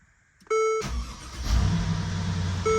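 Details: 2013 Mercedes-Benz GL 450 with hot-start issue, after replacing crankshaft position sensor: dash chime, engine catches almost instantly and settles to steady idle, no long cranking. Starting fixed.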